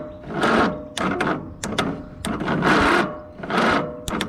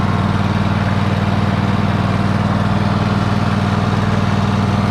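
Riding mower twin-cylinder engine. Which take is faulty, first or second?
first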